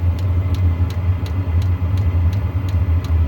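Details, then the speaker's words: Diesel heater after a teardown and soot cleaning: a steady low rumble with an even, unbroken burn and faint regular pump ticks. It is running properly, with slight smoke that is normal from new, likely burning off debris stirred up in the burn chamber. "Now it's really giving a good run. Again, a little bit of smoke, which is quite normal."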